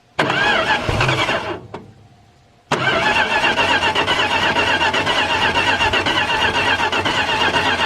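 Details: Derelict, long-stored Dodge D150 pickup firing up again with battery and ignition hooked up and fuel poured in: it cranks, catches briefly, dies, then refires into an uneven, lumpy idle with stumbles. Yellow scuzzy fuel is coming out where the fuel line was disconnected.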